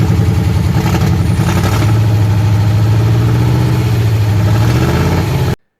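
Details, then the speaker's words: 1968 Ford Bronco with Coyote V8 fuel-injection swap, first start on the new computer and wiring. Runs loud but lumpy and uneven for 10–20 seconds, then cuts out. Owner suspects tuning. "Never got it to run exactly right, though, and I'll get back to that in a little bit."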